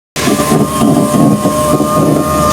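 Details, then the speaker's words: Chery Arrizo 8, about 2 years and 30,000 km, power window: motor whirs with thin squeaky creak throughout travel from inside the door; dry regulator cable lacking grease, fixed by lubricating, no assembly replacement needed. "如果说你们有的话，也是可以把它拆开投点油的，这个是不需要换总成的，就是里面缺油导致的那个钢丝绳子拉的嘎嘎响。"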